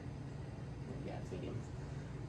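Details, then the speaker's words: Casablanca XTR Panama ceiling fan on medium speed: a quiet but steady low motor hum with a rough drone, louder than it should be; XTR motors are reportedly known to be noisy, unconfirmed. "uh and as you can hear it's quite noisy because from what i've heard is is a uh very common thing with xdr uh casablancas like the the the xtr motors are known to be uh noisy"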